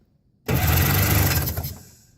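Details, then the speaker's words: Yamaha WaveRunner with the carburetor and both spark plugs removed and lubricant sprayed into the intake and cylinders: on the start button it gives a smooth, even whirr for about 1.5 seconds with no binding. The engine turns over freely. "go down to the engine that sounds like it's turning it over that's doing good I don't hear any restriction"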